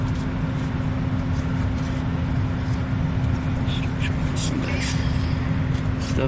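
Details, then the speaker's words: Furnace after replacing a fried thermostat that had stopped it turning on: steady low rumble with an even hum on top, no knocking or rattles; it fires, runs smoothly and kicks off as it should. "It kicked off like it's supposed to. Everything looks good."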